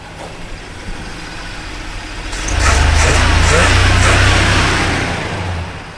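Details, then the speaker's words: 1985 K30 CUCV after an engine swap replacing the bad 6.2 Detroit diesel: quiet, then the V8 catches and settles into a steady deep rumble with an even beat; engine runs well. "So, we got the CUCV running and um it's running pretty good."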